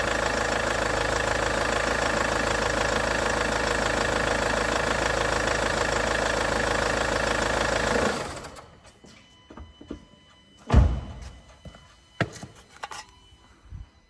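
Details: Range Rover Evoque after replacing the auxiliary belt idler pulley/tensioner: the engine idles steady and even with no squeal or chatter from the belt side, then shuts off. Sounds healthy, a normal idle.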